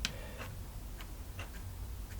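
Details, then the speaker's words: Old RC servo on a servo tester with a weak battery that holds voltage but lacks capacity: sharp ticks about every half second instead of a smooth whir, because there is not enough current to turn the servo. "now you see it hasn't got enough power turn the servo hasn't got enough power to turn the servo see"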